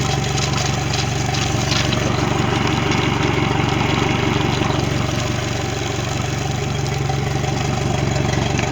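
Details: Mercury 90 hp outboard on a Suntracker after a no-start issue, final running check: steady even idle with smooth regular pulse, no misses, knocks or surging; normal idle.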